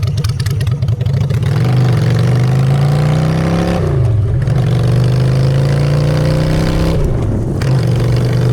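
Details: Honda Shadow V-twin after a custom makeover with custom exhaust, choke out, in neutral: a loud, throaty rumble climbs cleanly on each rev and drops back to a steady idle with no knocks. Normal idle and revs.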